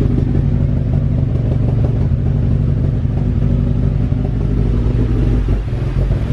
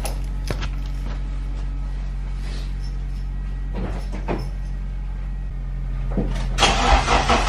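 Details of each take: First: With a nearly dead battery, jump-started cold in below-freezing Texas snow: lumpy, uneven low idle with irregular stumbles and clatter, as if about to stall, with heavy smoke. A rough cold-start idle. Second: Car, after about two weeks parked in below-freezing snow: fires and settles into a steady, even hum with no misses; normal cold start.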